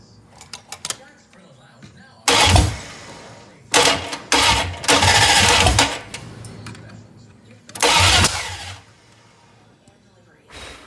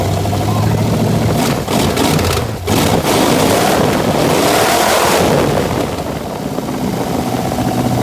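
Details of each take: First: 1966 Plymouth Barracuda with rebuilt 1967 273 V8 replacing the seized original, first-fire attempt: several short bursts of even starter cranking, never catching; cranks but won't start. Timing suspected off; new points and timing to be tried. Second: 1966 Plymouth Barracuda with a rebuilt 1967 273 V8 replacing the seized original, first fire after new points and timing adjustment: cranks, catches and settles into a throaty, slightly lumpy idle that holds steady; engine starting and running normally.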